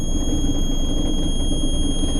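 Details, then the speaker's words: 2003 Johnson 70hp four-stroke outboard idling, trim switch pressed up: steady high-pitched oil warning buzzer over low idle rumble though oil is present; alarm triggered by tilt/trim, light later goes out, cause unclear. "so check this out if I go up with the trim switch not getting no oil"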